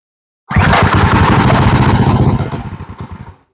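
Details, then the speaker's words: Drift trike small engine's first start after fitting a new ported head and adjusting valves, on choke: catches quickly, faster than before, and settles into a fast, even chugging beat with steady low thump, then shut off; sounds healthy. "Actually fired up a lot quicker than it used to. Than what I remember."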